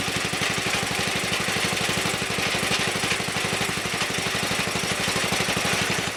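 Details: Wheel Horse Commando 800 tractor with an 8 hp pull-start engine driving a sickle bar mower, after replacing old belts: steady, even single-cylinder putter at constant speed, no knocks or rattles; normal running.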